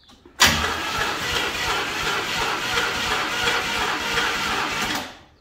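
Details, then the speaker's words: Burnt 1973 Chevy Nova, abandoned 30 years and recently caught in a barn fire, first start: catches and runs ragged about five seconds, missing on several cylinders, smoking; owners suspect plugs fouled by trans fluid left in the cylinders. "It's barely even firing off. It's coming out of the front of the exhaust. All right. It's like old tractor coming back to life."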